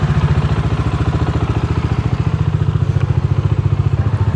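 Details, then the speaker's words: Single-cylinder motorcycle after timing chain and cylinder head gasket replacement: even idle of about three and a half pulses a second with no rattle. The earlier noise is gone; it was previously hard to start, and the starter is still pending. "T's ngayon okay na siya. Ah ano 'yung ano 'yung parang maingay nawala."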